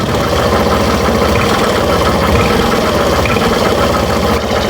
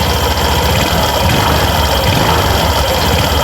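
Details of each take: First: Suzuki Burgman Street scooter revved on the stand: a rough scraping, sawing rasp rides over the engine and rises with throttle, from the CVT torque drive area; suspected worn torque drive bearing grinding. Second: Suzuki Burgman Street scooter revved with the torque drive and pulley set removed: even, clean drone with no noise. This shows the crankshaft is fine and points suspicion toward the torque drive.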